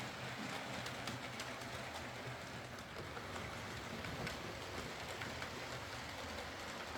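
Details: Used Hornby R2959 Thompson L1 2-6-4T on the layout after the fix: even, steady whirr and rail rumble with no grinding or catching. Greasing the worm gear cured the forward grinding caused by the double gear lifting against the worm gear.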